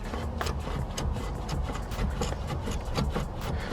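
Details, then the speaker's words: Porsche Cayenne, driver's-side rear, wheel off and hub turned by hand: dry rhythmic scrape each rotation from the handbrake shoes rubbing in the drum. Caliper removal is needed to access them. "So there does sound a noise coming from the handbrake shoes. We need to get the caliper off."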